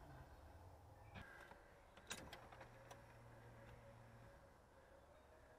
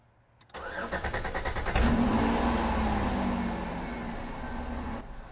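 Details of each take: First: Car that stalls randomly while driving, at key on after cleaning the battery terminals and connections: a low, steady electric hum lasts about two seconds and then stops. This is the fuel pump priming normally; the car did not start on the first try. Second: Hard start after checking battery and cleaning connections on a car that keeps stalling randomly while driving: fuel pump primes, first tries fail, then the starter cranks in rapid even pulses over a second before the engine catches, flares and settles to idle.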